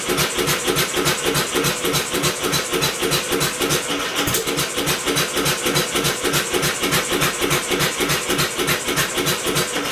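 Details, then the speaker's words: Homemade double-expansion four-stroke engine from a two-cylinder air compressor, first start attempt: rhythmic chuffing about three and a half pulses a second, mostly cranking with a few weak catches; old plug possibly oil-fouled, unconfirmed. "well it's fired a couple of times I'm going to swap out the spark plug that's an old spark plug out of the 360 that could be oil filed"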